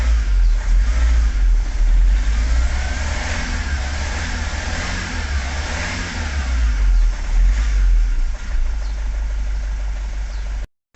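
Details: Vauxhall Vivaro diesel van, previously crank/no-start with an oil pressure fault after a clutch replacement, revving after a temporary engine ECU power supply fuse fix: a strong, even rumble rising and settling smoothly with no misfire or knock.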